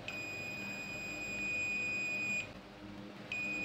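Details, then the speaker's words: Sharp 4T-C42DK1I smart TV that shows only the red standby LED and won't turn on: a multimeter in buzzer mode gives a long, steady high beep to ground on the mainboard, meaning a shorted SMD capacitor; other capacitors test fine. "di kapasitor SMD di sini ada yang short. Selanjutnya di kapasitor yang lain ini aman."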